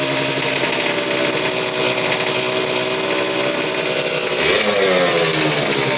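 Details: Suzuki RGV 250 VJ22 two-stroke under restoration, fuel on reserve, after recent carb issues that seem resolved: crisp buzzy steady idle, then a brief clean blip of revs; picks up smoothly and runs evenly.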